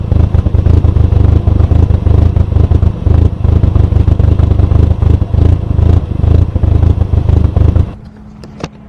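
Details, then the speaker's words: $900 MK4 VW GTI four-cylinder when first bought, before repairs: deep, lumpy idle that surges and hunts unevenly, sounding like it has aggressive cams; it had a hard time idling. "so the reason I started off to say and listen to the idle is because well here's a clip of the idol of this car when we first got it"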